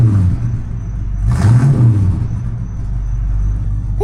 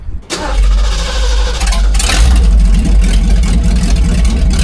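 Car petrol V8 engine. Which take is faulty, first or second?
second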